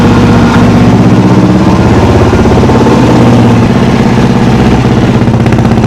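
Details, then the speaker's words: Motorcycle single, carburettor just rebuilt with new accelerator pump diaphragm, not yet warm or tuned: thumps about three beats a second, stumbling and wandering, bogs if revved; loose hose clamps let air in, owner suspects running lean. "So I can't really give her too hard because it she'll she'll bog out. But I mean that's we have to get it up to temp and then we have to tune it. But she runs."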